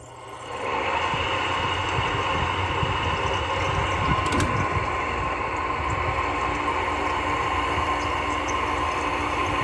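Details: Old R22 air-conditioning unit in a workshop kicks on within a second into a rough, uneven whirring roar over a steady hum; refrigerant side sounds good but the fan motor is noisy, possibly worth fixing, cause suspected.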